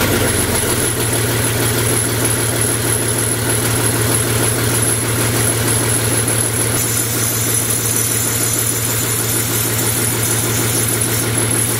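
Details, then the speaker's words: BMW M57 diesel for a Land Rover Defender, first start on the engine stand with no exhaust fitted: loud, raw, blatty clatter at steady idle with even firing; runs fine, just sounds rough without a pipe. "sounds like a bit of a pig at the moment because there's no pipe in the box it runs"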